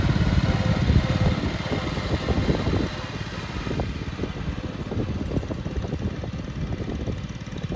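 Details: 1962 Bolens Ride-a-matic garden tractor, repaired and driven outside on a test: single-cylinder engine pulls smoothly as revs rise and fall, steady firing beat, no knocking or grinding; runs very well at varied revs.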